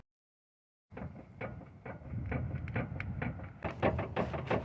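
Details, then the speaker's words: Toyota RAV4 with electronic power steering, driver's side wheel rocked back and forth: irregular dull clunks about three a second; inner and outer tie rod moving too much, suspected bad rack and pinion; worn tie rod. "the tie rod it's moving too much"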